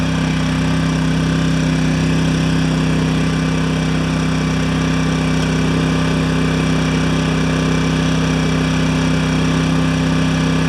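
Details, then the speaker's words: Yamaha 1000 W generator after reaming out the carburetor jets to cure idle surging and fitting new gaskets: steady even drone at maximum load with no hunting or surging; runs smooth and settled. "this is maximum load"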